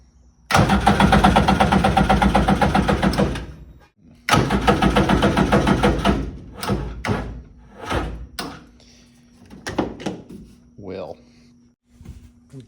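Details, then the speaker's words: Homemade mini jet boat engine after checking power and grounding: starter turns over evenly in several long bursts, fuel pump running, an unidentified noise, but it never catches; cranks but won't start. "I think it will start turns over fuel pumps pumping I don't know what that noise is"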